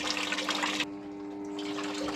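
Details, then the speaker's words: Washing machine after repair of continuous filling, powered on: a strong steady rush of water into the tub cuts off cleanly, leaving a faint hum; the inlet valve fills and shuts off normally. "Oke, airnya sudah ee bisa masuk otomatis. Kalau kita matikan dia akan berhenti."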